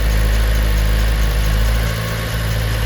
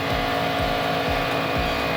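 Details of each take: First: 2010 Chevy Monza with MAP P0106 and TPS P0122/P1122 codes: the engine sits at a raised, even idle with a steady low rumble even though the TPS measures 1.0 V and seems to work. High idle from a faulty throttle position sensor. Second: 2010 Chevy Monza after fitting a new TPS and a new MAP sensor that cleared MAP P0106 and TPS P0122/P1122: no codes remain, TPS reads 500–510 and MAP 42 kPa, with a steady, even idle and no stumbling. Repaired and running properly.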